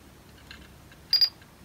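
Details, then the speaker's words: Old laptop from a garage find powering up, battery condition unknown: a few light, crisp ticks in quick pairs from its old mechanical hard drive; normal seek clicks. "And you can tell it's got an old mechanical hard drive in it. You hear it clicking a little bit in there."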